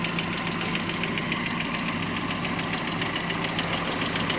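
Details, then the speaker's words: Mazda Miata 1.6 with 205–210 psi compression on all cylinders, warm idle: a light, quick ticking about 3–4 times a second from the hydraulic lash adjusters. This is normal; they all do it. "But yeah, see that ticking sound right there? Those are the HLAs. So like I said, there's nothing wrong. They all do it."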